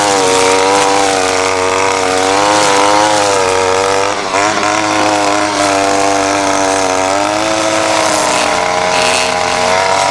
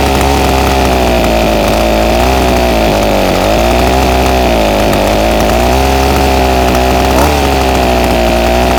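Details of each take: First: Ryobi SS30 30cc two-stroke weed trimmer after a simple low-side carburetor adjustment: steady high buzz under load without bogging or stalling; runs great though perhaps not exactly fine-tuned. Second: Ryobi SS30 30cc two-stroke trimmer, before carburetor low-jet adjustment: buzzy wail rises and sags repeatedly, pitch dipping and recovering as throttle opens; bogs on acceleration.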